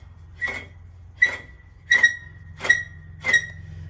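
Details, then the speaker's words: Hand-rotated California Trimmer reel mower, before lapping: bed knife set too tight against the reel, giving five sharp high squeaks about one per turn; reel rubbing tight against bed knife. "So, okay, the bed knife right here on the bottom is real tight to this thing."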